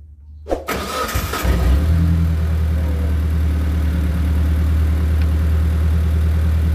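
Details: T120SS MPI after coolant from a leaking radiator entered cylinders and oil causing no-start, cylinder head cleaned and reinstalled; starter cranks briefly, catches within a second and settles to a steady even idle.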